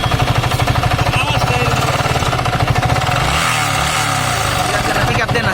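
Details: Yamaha R15 V3 motorcycle that sat unused for a long time: loud, fast, harsh metallic clatter over idle; bearings, cam, rockers, timing chain and connecting rod all damaged and need replacing.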